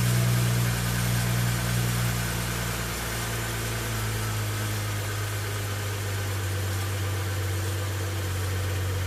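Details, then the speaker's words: 2011 BMW 335i E90 N55, after DIY replacement of OEM belts and pulleys in freezing cold: smooth, steady idle with even low hum, no squeal, chirp or rattle from belts; earlier noise gone. "success everything works the engine did not explode"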